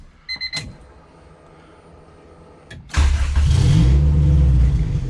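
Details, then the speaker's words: Honda Civic Si EK coupe, B18C1 GSR swap with Precision turbo, after tune refined: dash chimes, quick crank, catches instantly and settles into smooth steady idle; air-fuel ratio "pretty dialed", healthy start. "just breathe on the key and she fires right up air fuel is pretty dialed"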